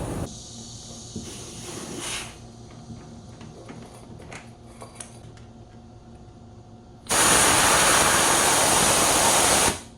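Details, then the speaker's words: Home air-conditioner outdoor unit with rattling noise and vibration, old R22 refrigerant, gauge reading about 100 against an ideal 60–70: faint hum and clicks, then a loud steady hiss as the overcharge is bled toward 80. Afterward it runs quietly. "지금 살짝 열어 갖고 어 가스을 떨어뜨리고 있는데 한 80까지 떨어뜨려 볼 생각입니다"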